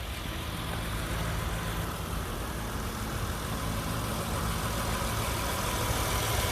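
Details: 2004 Honda Accord 3.0L V6, first start after AMSOIL engine flush and 5W-20 synthetic oil change: even, steady idle with smooth low rumble, no knocks or ticks; healthy engine.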